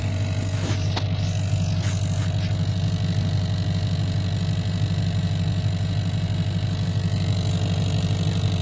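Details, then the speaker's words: 1990 Chevrolet K1500 Silverado, steady V8 idle heard at the floorboard with carpet removed: light ticking buzz about three beats a second, engine-related vibration coming through the firewall. "that ticking all right it's obviously engine related so is it just the vibrations of the engine coming through the floorboard"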